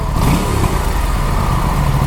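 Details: Aprilia RS 457 revving with a light metallic chatter on top, like tappet noise from excess valve clearance; recurring engine issues, slight power loss (couldn't exceed 120), Aprilia offered to replace the cylinder head.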